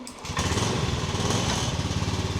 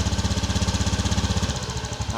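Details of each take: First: 2018 Honda Beat eSP scooter, about 9 years without fuel filter service, idling after fuel filter/seal change: quick light ticking tracking engine speed; owner says valve clearance has become loose and needs adjusting. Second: 2018 Honda Beat eSP scooter after fuel filter/seal replacement: quick putter, fast at first then slowing as idle drops properly after startup; normal idle settling.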